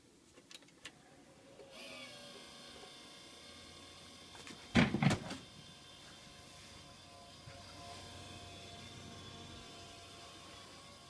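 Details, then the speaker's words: Desktop PC makes a steady whir with faintly wavering tone only while Windows is loading, stopping once boot finishes; seems to come more from the front than the back; computer bought around mid-August; unidentified whirring noise during boot. "it only does it while Windows is loading it just got done with the windows thingy now it's stopped"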